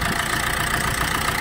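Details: Maruti Suzuki Swift Dzire after a no-start with only starter clicking: steady, even idle with no misses, knocks or starter clicks; running smoothly.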